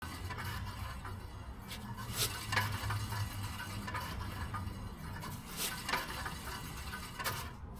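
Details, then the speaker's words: Hyundai Elantra rear wheel spun by hand: irregular metallic scrapes and clinks over a low rumble, with resistance and no free spin, from a rusty brake dust shield rubbing the rotor. "as you can hear I have a noise in my rear uh rear tire on my Elantra now I'm going to check and see what the noise is coming from"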